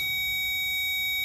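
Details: Power probe on a relay socket pin with the relay removed, on a service-truck work-light circuit: steady high-pitched continuous tone meaning power is present at that pin.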